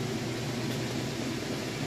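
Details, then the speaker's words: Crosley top-load washer on spin cycle with a heavy load of jeans and towels: steady low hum with an even whoosh at full spin, no banging or shaking; normal spin cycle. "It's getting up to full speed. It's a pretty heavy load. Sounds good. It's working great."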